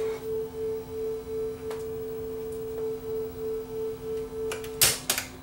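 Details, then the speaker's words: Sanyo RDS20 cassette deck playing a 440 Hz test tone against a reference after speed adjustment: steady tone with only a slow, faint beat, within a couple of hertz; tape speed essentially correct. "pretty darn close so you can hear a bit of a beat there thought were within a couple Hertz"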